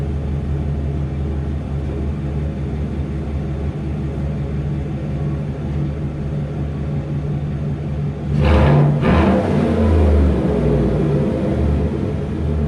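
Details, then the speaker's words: Chevrolet Silverado V8 with a newly fitted Corsa muffler and a Cold Air Inductions intake: an even rumble at idle, then a quick clean rev blip settling back smoothly, a normal exhaust note with no leaks or rattles. "I don't need it to be crazy loud or anything like that. If I want to be loud, I'll hop in the Trans Am in the back. Get a little bit of revs."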